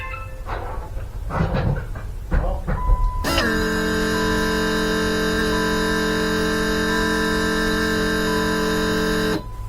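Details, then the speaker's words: 4WD Daytona with new temporary fuel system (lift pump, surge tank, high-pressure booster pump, adjustable regulator): steady electric hum for about six seconds at constant pitch, then clean cutoff; normal fuel pump prime before starting, air possibly in line. "okay that was a prime it should fire might not like that air in the line"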